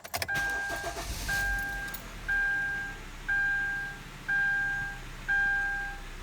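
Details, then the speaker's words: 2012 Kia Forte with a random no-start, after the repair: it catches quickly and settles into a steady 900 rpm idle under a once-a-second chime, with no check engine light; it seems fixed, but time will tell. "starts idle's at a pretty good 900 rpm no check engine lights it might be fixed again time will tell"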